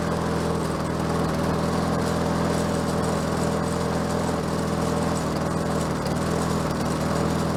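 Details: Bolens 22-inch self-propelled mower with a Quantum engine, first started, self-propel cables seized: even, steady putter at constant speed with no misses or surging; the engine runs smoothly.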